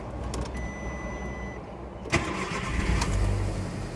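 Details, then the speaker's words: Mk4 VW Golf, after cylinder misfire fix: short crank, quick catch, then even steady idle with no stumble or missing beat; no misfire, no warning light on dash, codes gone. "oh yeah yep no misfire oh yeah that's that issue sorted out so we can erase them now"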